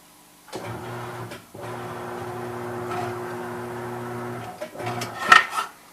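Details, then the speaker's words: New Mayflower tire changer turntable: steady low motor hum, stopping and restarting cleanly; turntable drive works well, normal operation. "there it is yeah that actually works pretty good"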